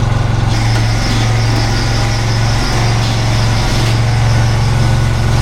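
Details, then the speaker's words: Viking T6 ride-on mower idling roughly in park, with a low, uneven rattle. It sounds like a pulley; the cause was worn pulley splines and a loose nut under the rear transmission cooling fan, and the fan and pulley were replaced. "I hear it. Somewhere in here. Sounds like a pulley."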